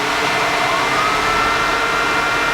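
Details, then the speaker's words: 1949 Chevrolet Gasser after tilt front end install, main fan on and auxiliary fan (temperature sensor, normally on at 185°) forced on by grounding: steady rushing airflow, tone climbs then holds; both fans run normally. "okay turn it on so the uh main fan runs and the auxiliary fan runs"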